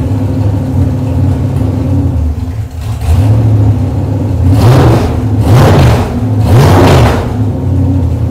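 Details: Chevrolet 454 big block V8 on a test stand, cold day, open headers: deep lumpy idle then three quick clean throttle blips rising and dropping smoothly; over 2 gallons of fuel run through, runs nice, ready for a restored El Camino.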